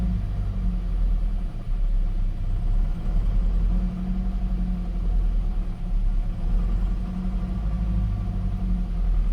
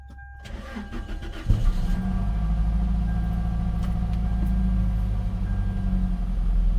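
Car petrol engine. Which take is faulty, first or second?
first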